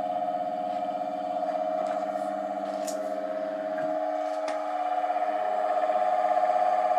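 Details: ATB three-phase induction motor run single-phase via a 30 µF capacitor after rebuild with new bearings pressed on: smooth, steady hum with a clean mid tone and no grinding; quieter than with the old bearings.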